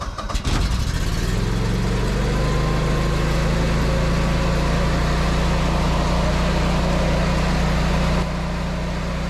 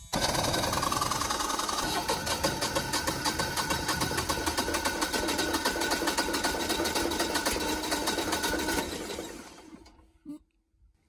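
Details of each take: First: Generac 24 kW standby generator just after the grid went down, with transfer switches powering both house and shop: steady, even engine drone with a firm low hum, no knocks or misses; carrying the load smoothly. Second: First-ever start of a newly installed Generac 24kW standby generator, oil checked: the starter chugs rapidly for about nine seconds without the engine catching, then cuts off; the owner suspects air in the fuel lines.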